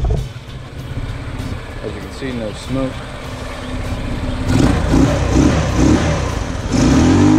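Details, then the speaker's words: 150cc GY6 scooter after troubleshooting a no-idle problem: steady, even putter at idle and an easy start, then smooth, clean rises in pitch on each throttle blip; healthy. "i'll go ahead and start it up for you so you can hear what it sounds like when how it's really supposed to sound and how easily it starts up"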